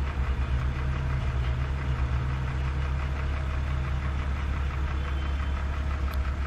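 Steady low idle hum with a faint, busy rattle riding on top; engine clearly rattling at idle, source not pinned down.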